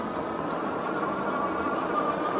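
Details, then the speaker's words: Engwe E26 e-bike (26-inch wheel, high step) on the road after fine-tuning to remove rattles, pedal assist 3: smooth even hub-motor hum with steady faint whine, no clatter or rattles; silent, normal ride. "it's a silent bike. Yes, let me tell you how much of a difference that makes."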